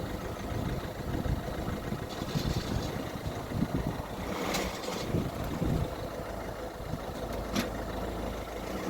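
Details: Citroen Berlingo 1.6 HDi diesel: rough chattery growl at idle in neutral that goes away with the clutch pressed and worsens creeping forward and back; clutch or gearbox fault suspected, gearbox later removed.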